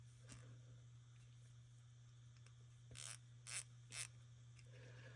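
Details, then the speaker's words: Ratchet after cleaning and servicing, with grease and debris sprayed out. A few light, crisp clicks at an easy pace over a faint low hum, the pawl engaging smoothly and quietly with no grit. Normal ratchet clicking. "all right we got this service now uh cleaned up and it sounds good nice and"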